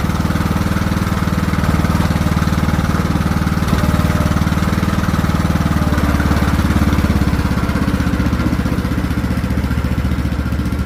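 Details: Craftsman T1600 riding mower after new carburetor replacing a corroded one, fresh fuel, mowing: engine runs steady with mild rising and falling speed around the middle; slight surge under load, cause unknown to the mechanic.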